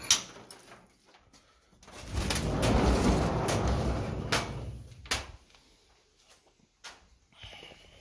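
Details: Subaru SVX after re-plugging vacuum lines, expected not to start: starter churns about two and a half seconds without firing, then stops; crank no start, owner then suspects crank sensor, ultimately a faulty ECU.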